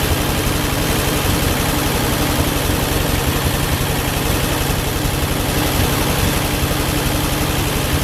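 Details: Ford 8N-type tractor with six-cylinder flathead Ford truck engine, after fixing wiring (one-wire alternator on three-wire harness, energizing wire disconnected), about a quart low on oil; steady even low chugging idle, no misses or knocks – normal idle.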